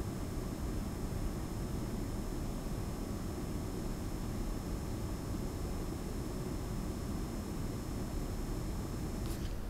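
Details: Lian Li PC-Q08 water-cooled HTPC with the side panel on, mic outside the panel, pump at about 50% voltage: a soft steady low hum and faint airy whoosh with no rattle or whine. Pump and fans are running normally.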